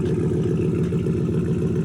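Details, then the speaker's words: Dodge 360 Magnum V8 truck after fitting eBay Performance Curve catback, idling: fast even puffing tick on the exhaust note keeping pace with firing; small leak at a clamped pipe joint, to be retightened. "Let's see if we can find out where this leak's coming from. Okay, there's a little leak coming out of here. I'm gonna have to do something there, try and retighten those up."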